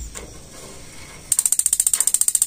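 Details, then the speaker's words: Gas water heater with a faulty gas solenoid valve: rapid, even igniter ticking at about fourteen a second, but no solenoid click and no burner light-off because the solenoid isn't opening. "tidak terdengar cetok Hanya pemantik Jadi urutan yang pertama bekerja pemantik tapi selenoid tidak bekerja dulu tahu ada permasalahan di selenoid"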